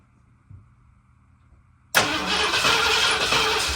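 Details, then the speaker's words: 1979 Ford F250, sat possibly 6 to 23 years, freshly rebuilt carburetor: near-silent, then suddenly catches and runs rough and loud, starving for fuel; not pulling fuel, owner suspects bad mechanical fuel pump. "Runs. We're not pulling any fuel. Mechanical fuel pump might be bad."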